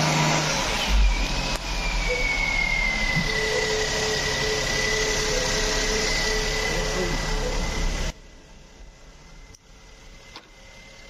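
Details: Maruti Suzuki car long parked with rat-damaged wiring and a faulty starter motor, started by direct terminal feed: the engine catches and runs at a steady fast idle with a faint rising whine, then cuts off, sounding healthy once started.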